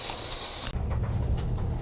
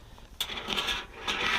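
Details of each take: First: Whirlpool Duet Sport washer after freeing a seized drum and fitting a new belt, drum turns with a steady low rumble, a few light clicks, no scraping; spins freely and sounds healthy. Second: Whirlpool Duet Sport washer with seized drum and broken belt, drum turned slowly by hand via pulley: irregular metallic scraping and clinking bursts; foreign object caught between inner and outer drum.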